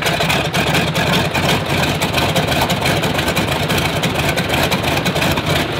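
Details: Stinson L-1 radial engine with duplex magneto runs rough, uneven lumpy beat about three pulses a second; dead magneto, running on one ignition side.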